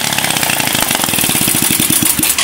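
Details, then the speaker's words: Suzuki Smash being rebuilt, run briefly before oil was filled. Rough, uneven idle with a fast metallic chatter on top: loose cam chain rattle. The cam chain still needs adjusting and the carburetor needs setting. "Suaranya kayak gitu dulu kita perbaiki keteng dan juga setting karburator"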